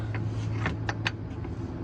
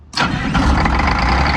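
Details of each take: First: MCI MC9 bus: pressing start gives only single sharp clicks with no cranking, ongoing for about a week; starter motor faulty, later replaced with a modern gear-reduction starter. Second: MCI MC9 bus diesel after fitting new gear-reduction starter said to have a soft start: short crank, catches almost instantly, slight high-pitched noise, possibly from the gear, during cranking, then settles into steady, even idle with no grinding.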